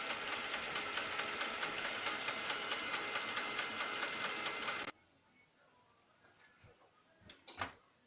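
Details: Lexmark X364dn printer: harsh rhythmic grinding at about two pulses a second runs for five seconds, then stops. Replacing the fuser and main drive and running without the cartridge did not help; replacing the duplex assembly solved it.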